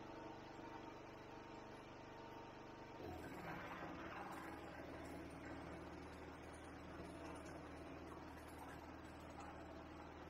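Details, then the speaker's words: Ryobi 2500W generator, stored about 12 months, loaded with a 400W pump, a 400W lamp and a 2200–2300W vacuum: the engine note drops, rough and laboured, struggling right at its roughly 2400–2600W rating; generator overload. "i so we got the two 680 and as you can hear it was really really struggling pretty much right on the money for what it says"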